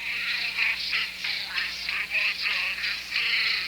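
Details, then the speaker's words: Vintage 1980s Sanyo MGR 701 cassette player on two AA batteries: playback thin, high and warbly at wrong speed; suspected stretched belts or very stiff cassette, not confirmed. "okay so two problems potentially either this cassette is mega stiff and this player just can't handle it or this player has issues with speed and belts are so stretched that they are not working properly"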